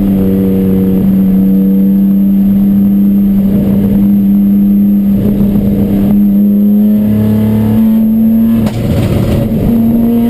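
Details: Chumpcar race car on track at Watkins Glen, where the misfire began midday Saturday. A steady high-rev drone that stumbles and breaks up briefly every few seconds under load: misfire, cause unknown.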